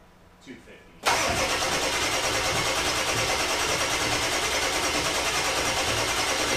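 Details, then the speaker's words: 2000 Ford F250 7.3 Powerstroke diesel, first start after new stage 1 injectors, glow plugs and UVCH, high pressure oil system and fuel rails drained: steady fast starter churn without catching; extended cranking. "it's probably gonna take some cranking so it'll be crank it for 20 30 seconds give the starter a break crank it again give the starter a break"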